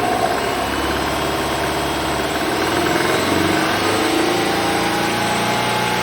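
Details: 2003 Subaru Legacy BP5 2.0GT Spec B, EJ20, 5MT, over 129,000 km, timing belt replaced twice: light metallic rattle from the engine bay, quiet at start-up, appearing near 3500 rpm; cause still unknown.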